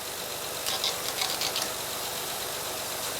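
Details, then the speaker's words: 2011 Honda Pilot 3.5L after timing belt and water pump replacement, engine cover refitted: even idle with light valvetrain ticking; earlier growling noise from under the hood is gone, running normally. "all right guys so as you can hear the engine is running the engine sounds good"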